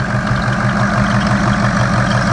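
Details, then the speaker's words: 2003 Ford 6.0 Powerstroke diesel idling just after injector replacement: steady, even idle with smooth consistent clatter, no stumble or misfire, much smoother than before; a slight belt chirp, possibly coolant on the belt. "And it seems like it's idling pretty good, actually. I'm surprised. I don't feel any misfire."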